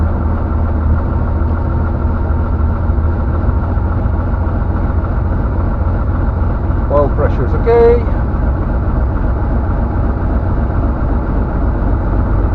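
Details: Van's RV-7 aircraft, ULPower 520iSA engine with Airmaster propeller, just after cold start, temperature still very low: steady, even low idle drone with no misses or surging, brief voice; running smoothly.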